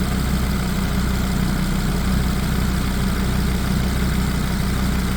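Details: Audi RS3 DAZA five-cylinder at warm idle during first-start coolant bleed, heat exchanger purged of air and temperature at 90; smooth, even low idle with steady beat, no stumble or knock, normal healthy running.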